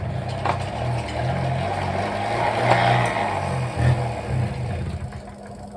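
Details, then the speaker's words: 1983 Honda PA50ii 50cc two-stroke moped, unrun for years, start after cleaning gummed-up parts, filter and fuel reservoir: it catches and buzzes unevenly at full throttle, then sags and stalls. Starts but won't keep running. "went there for a second okay probably shouldn't have full throttled"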